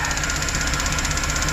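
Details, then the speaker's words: 2008 Chevrolet Express V8 with an intermittent misfire, idling: fast, even ticking about thirteen a second from a very noisy EVAP purge valve; a vacuum leak was already fixed; a low-flowing injector and faulty O2 sensors were also found. "I gotta take a look at the fuel trims again, but That purge valve is noisy as hell"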